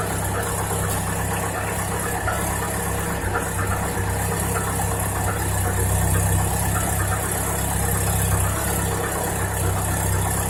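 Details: Chevrolet Niva 2018 (Chevy Niva), cold engine at idle: a light, irregular tapping about three to four per second rides over the low engine drone; knock present while cold, cause unknown.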